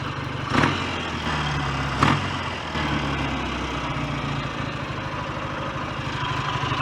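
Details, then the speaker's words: BSA A10 Super Rocket 650 twin, after cleaning the carburettor needle and raising it two grooves, idles a little fast but evenly with throttle blips, no knocks, leaks or smoke; normal healthy idle. "engine sounds good no leaks no smoke [Music] i might um turn the tick over down a little bit actually it's uh ticking over a little on the fast side"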